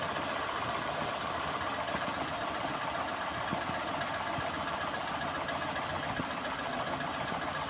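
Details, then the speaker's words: Peugeot 206 idling after a spark plug was rubbed on the accessory belt: the belt squeal stopped, leaving a steady, even idle hum with no chirp; the front belt drive now sounds quiet and healthy. "Parou com a vela. Parou."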